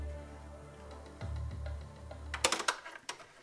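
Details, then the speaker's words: Tandy Optimus DCT-2000 DCC player after recapping the read/R and audio boards and fixing broken connections: a steady low whir for about a second before clicking mechanism noises; the board spins the motor as if no cassette is inserted, though one is; cause undetermined. "you can hear this whirling sound this is indicating a problem with this board again totally unique to only this player"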